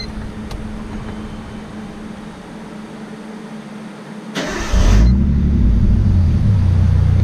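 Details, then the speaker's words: 1989 Nissan Skyline R32 after fitting new coil packs to fix running issues: starter spins, engine catches quickly and settles into a steady, smooth low idle with no misfire; normal idle. "all right fires right up sounds like it's running smooth"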